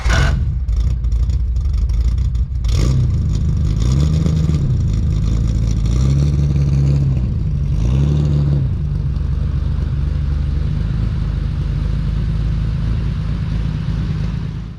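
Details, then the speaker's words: Datsun 240Z engine started and revving, with a deep, even six-cylinder note and smooth revs with no knocks or misses. It sounds good. "jeez that thing sounds good I love the sound of it every time I start it"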